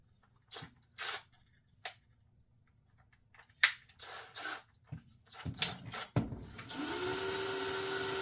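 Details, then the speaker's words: Penn Leveline 350 vintage reel that was locked up; wobbly spool trued using Sharpie marks to find the high spot, now spins with an even whir and steady pitch, no rubbing or wobble, a lot better than before; smooth spool spin. "I think that's a lot better than it was. We'll try it and see."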